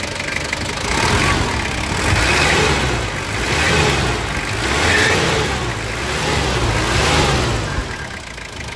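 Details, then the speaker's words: 2005 Ford Everest 2.5 TDi 4x2 manual, turbo and intercooler, mechanical injection pump and conventional injectors, no OBD: steady diesel clatter at idle, gentle rise and fall in revs, no odd knocks, said to sound like an L300. Normal diesel idle. "Ya pemirsa ini suara mesinnya begini ya mirip-mirip L300"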